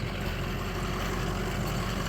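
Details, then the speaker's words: 6.0 Powerstroke diesel truck running on used engine oil, idling after the drive to work: low steady rumble with no injector clatter, smooth and even, quietest it has ever run, no visible smoke; running normally. "six liter diesel usually the injectors are super noisy while it runs this is the best that this truck has ever run can't hear the injectors right now they're so quiet"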